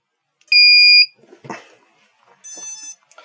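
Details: KK2.0 flight controller on a 330-class quad, after the forgotten battery-voltage sense pin was refitted: one clean half-second beep at power-up, then no repeating alarm, so the board is starting up normally.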